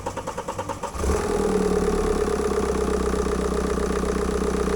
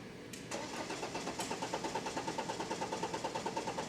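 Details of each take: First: BMW 520d with N47 diesel after fuel-line metal-debris cleaning and high-pressure pump and injector repair, previously no-start: cranks, catches and settles to steady even diesel clatter, no misfire or knock, music plays alongside; normal start and idle. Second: BMW 520d N47 diesel with metal particles in fuel line: starter cranks steadily at about three compression pulses a second but never fires; rail pressure only 23–25 bar against about 300 bar needed, pressure regulating valve faulty.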